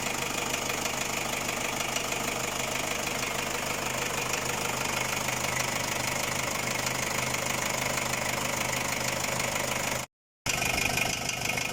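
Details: Ford Ranger WL diesel idling with a loose, uneven knock about three a second over harsh clatter; cylinder head replaced with a Chinese one after overheating; knock source still unknown.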